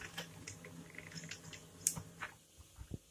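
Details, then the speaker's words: Brother DCP-7535DW laser printer after replacing the drum unit printing a test page: low steady hum and light feed clicks, the previous cracking/knocking gone. "que trocou acabou o barulho dela ela estava estralando uma folha de teste só para vocês ver"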